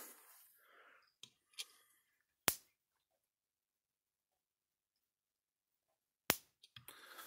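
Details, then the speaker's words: Gallagher solar fence energizer (S50/S20) with repaired circuit board, night mode: single sharp snaps a few seconds apart with silence between, just as strong but slower to conserve battery; normal slow night-mode pulse. "it's just a strong at night just a slower pulsed it says it's a conserve battery"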